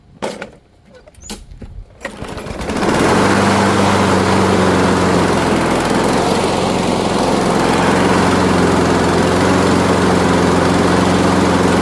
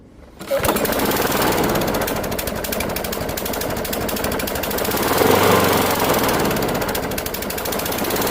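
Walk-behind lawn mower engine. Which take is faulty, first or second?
second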